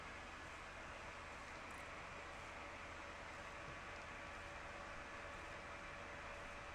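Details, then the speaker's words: Mini heater on high: soft, steady whoosh of air with faint even hum, no rattles or ticks, a low-pitch gentle breeze about 10–12 dB above background; normal heater fan noise. "It's not offensive at all. It's a very low pitch, gentle breeze sound. I don't object to it at all."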